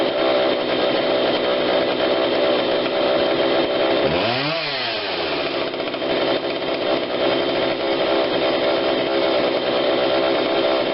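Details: Husqvarna 142 40cc chainsaw, long unused, after repair and carb tune-up while warm: crisp steady high buzz revving up cleanly and settling back smoothly without bogging; low adjustment seemed unneeded; normal running.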